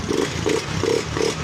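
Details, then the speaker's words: Honda Beat FI scooter, after rewiring the green/white wire from the relay to battery ground, started on the kickstart: engine catches and runs with even revving pulses, no misfire or clatter, running healthy again. "Yun o. Iyon o. It's alive. Buhay na buhay boss."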